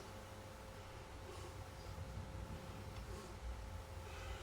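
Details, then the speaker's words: Regentone record player with Collaro RC54 turntable, after servicing, running at 33 rpm; quiet, even rumble with faint hum, the earlier bumpy idler noise gone; normal turntable running. "We're not getting that noise now. Oh, we got rid of that bumpy idler sound."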